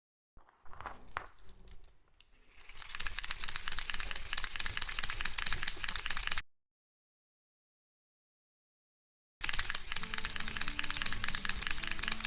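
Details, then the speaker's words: Daiwa Tatula SV TW baitcasting reel gives a dense run of fine clicking while the handle is cranked at lure-retrieve speed; smooth otherwise, not a functional problem. "Very reel for the price except for this sound. Smooth and comfortable to roll. But it is noisy when turned at the speed to retrieve the lure."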